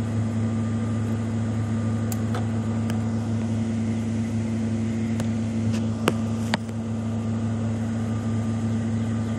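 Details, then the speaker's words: 1995 Ford Mustang GT (OBD1) during KOER engine-running self-test via jumpered EEC self-test connector: RPMs shoot up for two to three minutes while codes output; steady, raised, even idle hum with no misses or knocks, engine sitting high on self-test idle. "just start the car and leave it alone the RPMs are going to shoot up for two to three minutes and it's going to start spitting out the codes"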